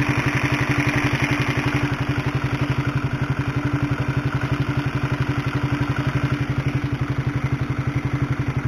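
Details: Honda CB150R at idle, recorded with a microphone close to the engine: a fast, very regular metallic clatter of about four per second, sewing-machine style, from a worn, stretched cam chain due for replacement with a DID chain.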